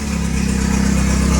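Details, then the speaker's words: Porsche 924 Turbo at idle: loud deep tractor-like rumble with rapid chuffing pulse from a large hole in the exhaust; normally a quiet car. "all right so i think you can agree this is a horrible noise it sounds like a tractor which is terrible it's not the way it should be"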